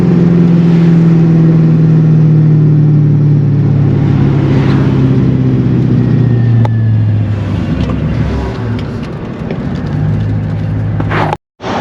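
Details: C5 Corvette, manual, hot day, pulling away after the intake was reinstalled; smooth even note climbing through the gears with shift dips and no knocks; owner says it's peppy and running good.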